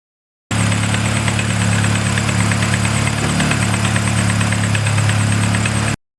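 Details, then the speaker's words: Acura Integra with a B20 VTEC swap (B20B4 high-compression bottom end, B16A head, base map), first start: a light, fairly regular tapping around four per second over the idle as it warmed. Engine knock at idle, cause unconfirmed. "we went to start her up and unfortunately it sounds like there might be a slight issue as she warmed up a little bit more we realize that actually has it knocked"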